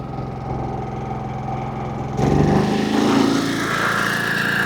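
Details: Champion 4500-watt gas generator: quiet hum, then eco mode is disabled to run a pressure washer and it jumps to a higher, louder speed that holds steady. Normal full-speed running.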